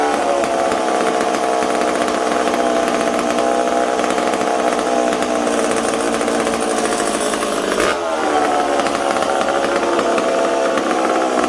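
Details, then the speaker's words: McCulloch Super Pro 70 chainsaw on the bench, air filter on, shop at about 20°C: high buzzing holds revs, then dips and stumbles briefly near eight seconds before recovering; spraying the intake boot made it stumble, owner suspects an intake air leak. "well i think we potentially have an intake leak did you hear it stumbling there now i couldn't get it right"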